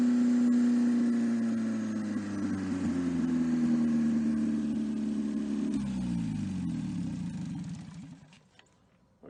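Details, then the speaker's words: 1954 MG TF four-cylinder with an open exhaust. It revs and holds an even, clean note, then is shut off early to avoid overheating with no coolant and winds down smoothly. Compression is 162/157/157/156, and the engine is healthy with no rebuild needed. "it did seem to run pretty well and uh responded well to the carburetors"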